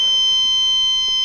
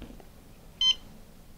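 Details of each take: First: MissileWorks RRC3 dual-deployment rocket altimeter switched on with battery connected: steady loud high-pitched beep while the LED lights and it runs its startup ground-testing mode; normal power-on beep. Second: MissileWorks RRC3 dual-deployment rocket altimeter after power-up sampling, with one igniter disconnected (normally main and drogue): one short high beep showing continuity on only one igniter; reconnecting gives three beeps.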